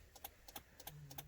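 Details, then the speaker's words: 2003 Mercury Mountaineer that won't start, heard with the hood up: quick dry clicks in loose pairs with no cranking when the key is inserted, while the alarm light blinks; suspected defective battery or corroded battery terminals, not confirmed. "there's a clicking sound from the car i have the hood up but um you can see the alarm blinking but the car won't turn on"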